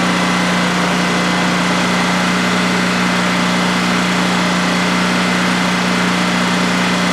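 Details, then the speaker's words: New DuroMax XP15000HX generator installed in a shed, second start-up on propane with the exhaust fan off: a steady, even drone and constant low hum with no knocks or surging during a 5-minute test run. Normal run, no issues. "and that was a a 5 minute run to see how it's just make sure everything is running well and everything is running well no issues"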